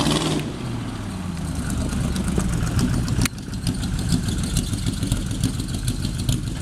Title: maserati 450s replica smoke and misfires